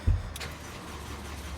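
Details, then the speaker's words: 2003 Rover 75, 1.8 petrol K-series, crank no start with codes P1232 fuel pump relay short to battery and P1520: engine spins steadily on starter, rpm reading present, but no fuel pump running heard. "see that so to me we've got an input there and what i don't hear is a fuel pump running"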